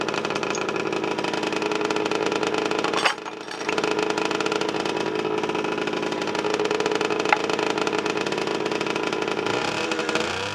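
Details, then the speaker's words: 1990 Honda NS50F two-stroke after sitting eight or nine years, on the old fuel, fired on half a kick with a clean plug: steady fast idle while warming, even and unbroken, running cleanly; normal running after long storage. "I think it's been sitting about nine years eight or nine years this is the old gas I haven't put anything fresh in"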